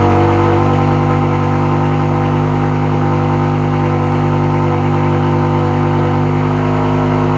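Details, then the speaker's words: BMW E63 M6 S85 V10, nearly 20 years old, after fixing a cylinder 8 misfire with new spark plugs and three coils and clearing codes: smooth, even drone with steady pitch, no stumbles; running normally. "M6 is running good again. Just a slight coil and plugs."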